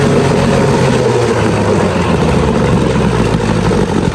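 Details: Old Evinrude Sport Twin two-stroke outboard on a test tank after carburetor cleaning and new fuel lines: steady, even buzz with no misses or surging, pumping water well; running normally.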